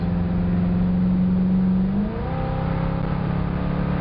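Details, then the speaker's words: 302 V8 wagon during carburetor power-mode calibration, full-throttle road run through a clean upshift from second gear; strong steady V8 pull with no surging, hesitation or flat spot. "Oh, baby. Man, now, no surging, no hesitation. All over it."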